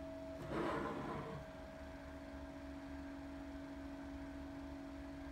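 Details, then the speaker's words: Two Opolar battery/USB fans running together, one pointed away from the microphone: quiet steady hum with a low tone and higher overtone; a haunting drone of unknown cause. Fan motor drone. "that sounds kind of haunting like i mean maybe that'd be cool for i don't know a composition i guess"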